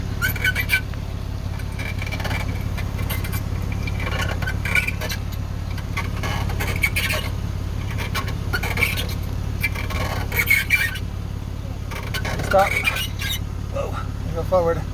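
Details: Vehicle creeping slowly, irregular high squeaks and scraping chirps over a low rumble, intermittent, here in reverse but sometimes forward; owner suspects the differential, unconfirmed.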